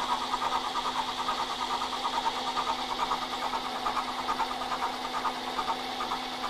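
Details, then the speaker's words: Milling the mounting holes in a shaper clapper box support plate: steady whirring spindle with an even pulse about twice a second as the cutter relieves the first cut around, an ordinary smooth cut. "there's one cut around you can hear it relieve the cut"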